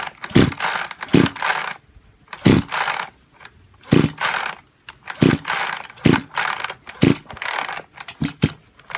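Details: Junk Kyoritsu chainsaw, tagged for seizure and low compression: about eight quick rasping recoil pulls, no firing or catching. Cranks but won't start; cause unconfirmed, overhaul considered.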